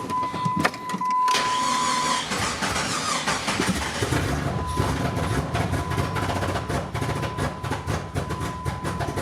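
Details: $150 salvage-auction Jeep Cherokee after new fuel filter, regulator, replacement fuel line and NGK plugs, possibly new crank sensor suspect; chime, then long uneven cranking with occasional firing pops; fuel pressure present, stale gas suspected; hard start.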